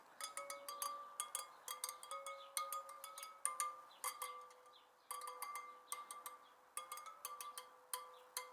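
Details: Suzuki DR650 wheel spokes checked after fitting a new tire to cure a headshake wobble at 70 mph; crisp, clear pings, each spoke ringing at the same bright pitch with no dull thuds, evenly and properly tensioned.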